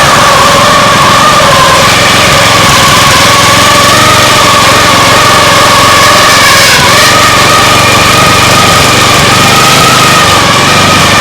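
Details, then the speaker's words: Fixed-throttle lawn mower engine converted to an outboard, owner suspects thrust bearings binding under load: loud steady high revving with a sharp whine and rough patch midway; awful abnormal engine noise, cause unclear. "a what is that awful sound it was in neutral what what is happening that sounded really really really not good"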